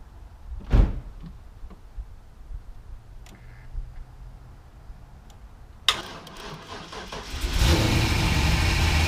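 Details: Pontiac Trans Am with a previously dead battery, cranked using a Topdon T01 jump pack: quiet, then a short burst of cranking that catches and settles into a strong, steady rumble; engine starts cleanly.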